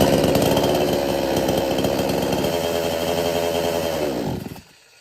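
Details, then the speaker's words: R Yantra 58cc two-stroke chainsaw on premixed fuel (20 ml two-stroke oil per 500 ml petrol): runs rough about four seconds then sags and dies on throttle, no pickup; mechanic suspects weak spark plug, unconfirmed. "यह जब machine start करते हैं accelerator press करते हैं तो machine अचानक से बंद हो जाता है पिकअप नहीं बनाता है"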